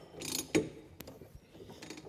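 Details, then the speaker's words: Stuart Turner P5M two-stroke single-cylinder inboard boat motor (1958 Windermere launch), slow hand-cranking: dry ratcheting clicks and one sharp snap as the magneto impulse coupling winds up and releases, normal; points barely opening, could do with cleaning. "您可以听到咔哒声。这实际上是磁电机上链然后释放。"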